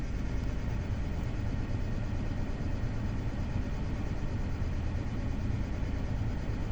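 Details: BMW N53B30 with P0306 cylinder 6 misfire despite new spark plugs and coils: after a cold start, misfire and rough idle begin after a minute or so; deep, uneven rumble with a recurring stumble, engine shaking.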